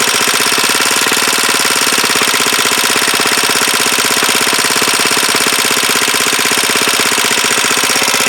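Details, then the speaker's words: Huoniao HN125 single-cylinder, freshly installed engine, first start: fast, sharp metallic chatter rides evenly over the idle. Valve tappet rattle at idle; the owner thought the tappets were done, but the clearances need adjusting. "bit rattly I think then I thought I'd done them tappets but thank you well obviously tappets need doing"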